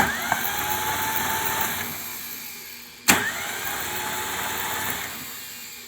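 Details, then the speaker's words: 1980s manual Mercedes G-Wagon that sat for a very long time, jump-started with a dead battery: strong, even cranking with a steady starter whir and no dragging, clicking or slowing. Normal cranking. "Oh, that sounded so good, guys. Like that cranked over perfectly."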